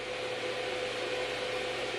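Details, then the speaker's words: Packard Bell iMedia S3720 desktop now posting after repair; steady, loud rushing fan hiss with a faint thin whine on top. Coil whine is heard, possibly a failing power supply; excessively loud. "computers fixed thank God for that still sounds loud as hell though"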